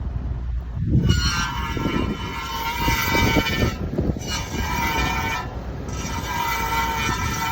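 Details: 2007 Honda Accord sedan at slow speed while turning left: harsh metallic screech and grinding in bursts over low rumble, from a bent brake dust shield scraping the inner rotor face; fixed by pushing it away.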